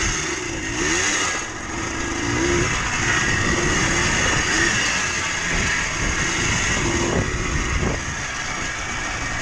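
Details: Yamaha Blaster 200 two-stroke quad revving: a thin, tinny, bell-like metallic ring over the exhaust note that worsens as it runs, from worn bottom-end crankshaft bearings. Exhaust smoke thickens, suggesting the adjacent seals are failing too.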